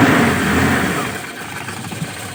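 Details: Car just fitted with a TCI pulser ignition module replacing CDI, engine cold just after starting; clean throttle blip rising smoothly and falling back evenly with no misses or stumbles: normal revving.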